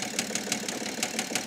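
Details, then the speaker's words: 2008 BMW E65 730d facelift diesel, first start after dead battery: sharp metallic tap about six times a second over a lumpy idle; source unknown, top or bottom end, seemingly not firing on all cylinders. "it's hard to tell if it's top end or bottom end but yeah it doesn't seem like it's firing on all cylinders anyway"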